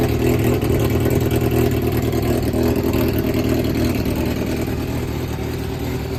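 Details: Yamaha XJR400 (4HM) startup check: smooth, even four-cylinder hum holding steady, no knocks, ticks or rattles; seller states no abnormal engine noise or white smoke. Healthy engine running.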